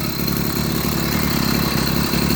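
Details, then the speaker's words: 80cc two-stroke motorized beach cruiser bicycle at idle before the carburetor swap: uneven popping, stumbling irregular beats instead of a clean buzz; rough running, cause not identified. "cannot figure out what's going on with this damn thing. I don't know. To me, it doesn't sound right."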